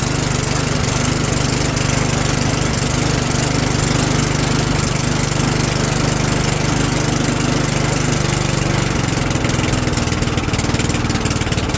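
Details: Old Sears Craftsman lawnmower after repair, oil filled to the full line: steady, even single-cylinder putter with a constant low hum and no misses or knocks; running healthy.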